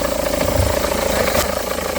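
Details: 2009 SEAT Leon with engine running: steady fast rhythmic hum and thrum in the belt area; A/C compressor pulley bolt thread stripped and not tightening, letting the pulley wobble.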